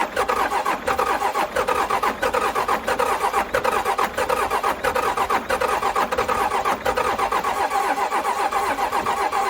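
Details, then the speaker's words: Cummins 6BT 12-valve roll-back tow truck after piston replacement and thinner head gasket, cranking on jump pack after injector bleeding: steady cranking about 1.5 pulses per second for ten seconds, no firing; air drawn in at leaking primer pump. "I'm pretty much at a loss but I have found something very weird and I just looked it up and I think it's the problem so I think I just found why this thing won't start"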